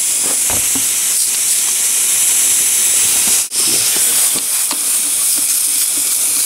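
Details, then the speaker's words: Homemade intercooler pressure tester on intake system held at about 12.5 psi: loud constant high-pitched hiss of air leaking past a failed o-ring at the fitting; o-ring needs replacing. "we got some leeks you can hear it so that over I need to change and go so ring"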